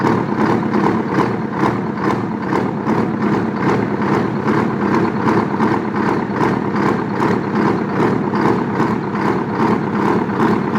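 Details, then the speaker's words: Detroit 8V71 two-stroke V8 diesel, old and worn, blowing blue smoke; loud chatter with uneven lumpy pulse about two beats a second; exhaust heat check (cold, heat, heat, cold) reveals two dead cylinders misfiring. "I come over here, I feel cold, heat, heat, cold. Means I have two dead cylinders."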